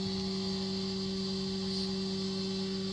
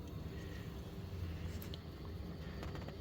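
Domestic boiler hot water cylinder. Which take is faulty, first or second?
first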